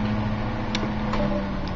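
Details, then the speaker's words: 1950s General Electric table fan that sat unused 20 years in a dusty garage; the owner says the motor spacers need restoration. Unplugged, it coasts down a long time with a smooth whir and no rubbing or grinding. Bearings sound healthy. "i think this man has pretty healthy bearings look how long it's closing down for"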